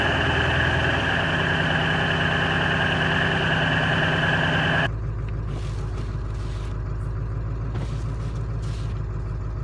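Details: Ford 7.3 Powerstroke diesel just cold-started at 34°F with new injectors and glow plugs after sitting about a week; even clatter at raised cold idle then revs step down smoothly; healthy, owner notes new tune gives a weird idle.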